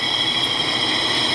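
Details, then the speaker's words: 2009 Nissan Altima front wheel bearing, driving: steady even hiss with no growl or rhythmic rumble; bearing noise gone, confirmed quiet with Steelman listening tool. "you can see it's it's a sound it's a it's very nice and uh no more noise from uh from the bearing"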